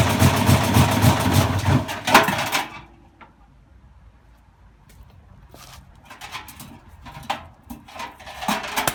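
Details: Bosch Classic 6 1200 Express washing machine hot-wired to motor, top ballast removed, loaded with objects: heavy rumbling thrash while spinning, then loose clunks and knocks coasting down; broken drum spider.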